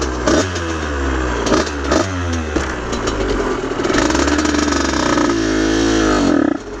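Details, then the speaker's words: Aprilia RS50 / YZ85 hybrid two-stroke after clutch plate swap and basket filing: healthy at idle but revs stumble and flatten when throttle opens; bog on acceleration, tuning issue suspected, not confirmed. "so in that clip the bike sounds super healthy at idle but as soon as you really get onto it you can kind of hear that like that like really takes over as soon as you start to like get on the gas"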